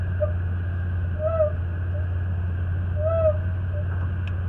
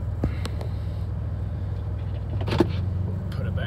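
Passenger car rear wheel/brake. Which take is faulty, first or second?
first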